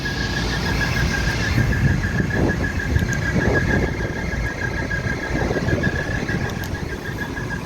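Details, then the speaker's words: Old neglected York package unit with dirty filters and condenser coils, both stages cooling: steady high-pitched squeal over the unit rumble; blower belt squealing, suspected loose. "I can hear the belt squealing. It's probably loose."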